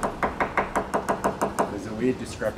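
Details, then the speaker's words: Tap test with a hammer on a catamaran's fiberglass hull near a delaminated patch: sharp taps about five a second, some dull and hollow rather than crisp, indicating dry, poorly wetted glass; dry fiberglass laminate. "here yeah I had dry glass here on my boat"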